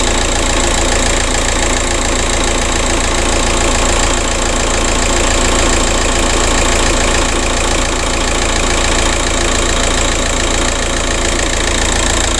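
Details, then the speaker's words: 2007 VW Caddy 1.9 TDI 105hp BLS diesel at warm idle after replacing alternator pulley and auxiliary belt/tensioner that had squealed and lost charging: even clatter, constant speed, no belt squeal or chirp; runs smoothly. "Looks like we have a fix. Right, so it runs perfectly fine."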